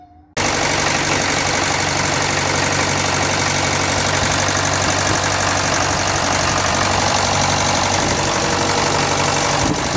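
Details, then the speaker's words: Land Rover Series 3 diesel, project vehicle, first start after starter solenoid fix and stop adjustment: loud, steady clatter at idle, about four beats a second, no stumbling; now running, with leaking spill pipes, washers and bubbling glow plugs noted. "so look well yeah she's up and running look at that"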